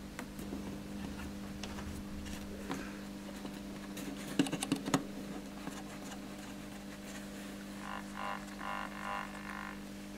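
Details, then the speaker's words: Orange Crush Bass 50 amplifier after repairing a volume fault; steady fixed-pitch low buzz under clicks and rustling from the power transformer. "still hear it buzzing but it might be okay once we've tightened this"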